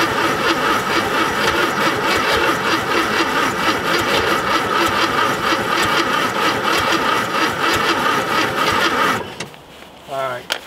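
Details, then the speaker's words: VW Thing Type 181 sitting since 1989, spark restored after condenser fix: steady starter whirr with even compression pulses, about four per second, never catching; owner says it is flooded with too much fuel and the battery is dead. "flooded it and you know we got a dead battery"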